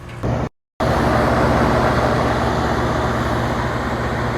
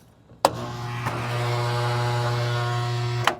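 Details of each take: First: 40-year-old Carrier Weathermaker rooftop unit cooling on a mild rainy day after a defective transformer was replaced; gauges show 36–38°F indoor coil, about 200 PSI head pressure at about 70°F; steady even hum with constant fan rush, no knocks or squeals, running great. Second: 40-year-old Carrier Weathermaker air conditioner, blower motor bumped on briefly: a click, then a flat low hum for about two seconds with no spin-up; blower motor burnt out.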